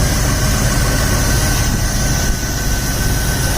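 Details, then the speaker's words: 2000 Jeep Grand Cherokee 4.7L V8, first start after replacing fuel injectors and spark plugs (had stuttering, no acceleration above 2000 rpm): started right up, even low idle rumble with no misses; a slight tremble and vacuum leak noted; normal idle. "oh that's good it started right up and it's idling"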